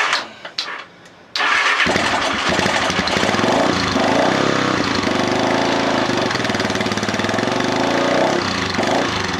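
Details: Lifan Earth Dragon 125 project bike, first start attempt: the engine catches after a couple of cranks and settles into a fast, busy idle on choke.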